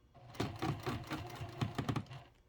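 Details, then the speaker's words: Sewing machine top-stitching heavy clear vinyl/TPU to pleather: squeaking as material slides, uneven stitching bursts that stall and restart, motor straining, material sticking; owner wonders about lowering presser foot pressure. "I can hear it squeaking as it slides. Oh goodness, that's not a good sound. I wonder if I should lower my presser foot pressure. See, there, I just got stuck."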